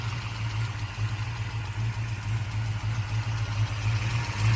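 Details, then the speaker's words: 1966 Shelby GT350, original 289 HiPo rebuilt to 331 stroker with forged pistons and crank, not fully cold; strong low idle rumble with light even valvetrain tick from solid lifters; normal solid lifter noise, engine healthy. "is still solid lifter engine as you can hear the solid lifters"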